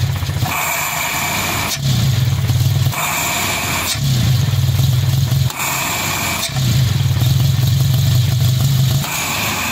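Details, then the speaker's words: Nissan 2.4 pickup with loss of power, engine fairly stable at idle: each throttle stab swells the drone but revs stay flat and won't pick up; faulty MAF sensor. "está la falla se baja se mantiene pero ya la acelerar no avanza nada"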